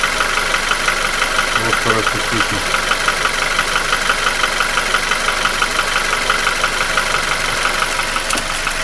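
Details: Nissan QG16DE, no hydraulic lifters, with rings, oil scraper rings, chain and shoe replaced 2000 km ago. A sharp regular ticking knock at about three per second is heard at idle only, not when revved, and began 1500 km ago. Owner feels it comes from the front of the block between cylinders 1 and 2.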